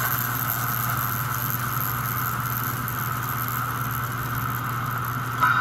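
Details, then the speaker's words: 65-year-old American Flyer toy train locomotive, modified with reed switch for 4 chuffs per revolution and synchronized smoke: small motor runs with constant low buzz and thin whine; gear buzz, owner unsure if cam or idler, later gears slipping, idler or stretched chain suspected. "you are getting a little buzz out of it now i don't know if that's a cam or the idler"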